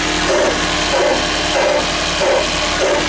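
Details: Grinding noise in a 2001 first-generation Toyota Prius at cold start: a rough, gritty grind pulsing about every half second over the running noise. It also occurs without the engine actually starting; source unclear.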